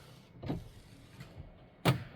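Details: 1970 Dodge Challenger 383 automatic, wiper motor park function after adding a ground wire to the wiper switch bracket. Brief motor whirs and a firm clunk as the wipers sweep and settle into park; running and parking are normal.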